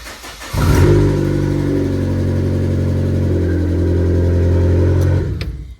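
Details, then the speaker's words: Fiat 500 1.4 Lounge, Cat S rear-damage rebuild with new subframe fitted: loud, deep, booming, harsh unmuffled drone at idle, sounding like an Abarth, from the damaged exhaust; new exhaust system to be fitted. "But you really need to start the engine. And I can't have the engine going or on working because of the exhaust."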